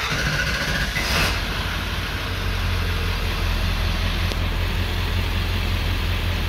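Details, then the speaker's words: 7.3L Powerstroke pickup after high-pressure oil pump (HPOP) replacement and leaking ICP sensor replaced, hot restart after sitting 15-20 minutes warm: catches promptly and settles into steady, even diesel idle; previously died and wouldn't start hot, now big improvement. "obviously it's you know it's hot it's warm let's um go ahead and do a um hot start on this just to kind of confirm that everything is you know still doing like it's supposed to"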